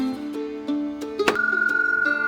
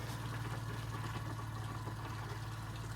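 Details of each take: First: Camper trailer water pump, reached under an access cover, that isn't delivering water: a droning motor hum with light rattling ticks about three times a second; rough, abnormal pump noise, owner thinks it's broken and is replacing it. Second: Camp Lite Living Light camper trailer with a newly installed Class A Customs water pump: steady low electric hum with a light even pulse, no rattle or strain, as the pump builds pressure; normal running, pressurizing the system.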